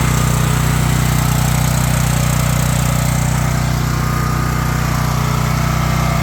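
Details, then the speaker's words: Champion 9375 generator after rebuild with valve adjustment fixing no-start and backfire, valves still needing slight adjustment; steady even drone at constant speed, no misses or pops. Normal running. "it runs it runs uh it the biggest issue was the valve uh valve uh settings had to adjust it pretty good there"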